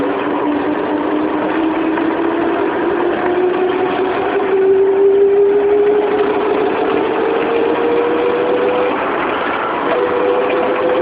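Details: 1994 Proton Saga 1.5L manual: petrol engine revving under acceleration with a whirring, spinning whine that climbs steadily in pitch with speed.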